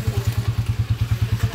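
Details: TMX155 single after overhaul for rough timing gear noise, break-in running: even, steady low thumping about nine beats a second with no knocks or rattles; engine running smoothly and healthy.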